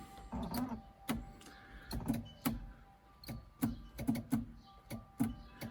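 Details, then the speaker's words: Triumph TR7 electrics check with the ignition key at position 1, horn pressed: sharp dry clicks at uneven intervals with no horn note, so the horn relay is switching but the horn stays silent. "No horn, but I think I can hear the relay going."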